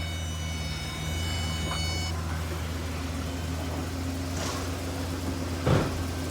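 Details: 2007 Pontiac G6, after fixing a no-crank caused by a poor transmission control module ground by jumping it to ground: engine catches and settles into a steady, even idle with a low hum, no misses or knocks.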